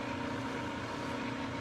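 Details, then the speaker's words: New Precision Matthews PM-1660TL lathe, first run before break-in, headstock in medium range gear 1 at 130 rpm: even hum with steady mild gear whine, slightly more gear noise than low range, no knocks or grinding; normal. "i can tell a little bit more gear noise in this range right here which is normal for your higher gears yeah that sounds that sounds great right there"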